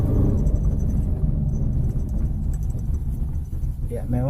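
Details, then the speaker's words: 2013 Toyota Avanza at constant 40 km/h: heavy steady low droning heard inside the cabin, customer complaint, source still unknown. "Di kesempatan kali ini saya mendapatkan keluhan pelanggan mengeluhkan di kecepatan 40 km per jam mobil mengeluarkan bunyi dengung di dalam kabin."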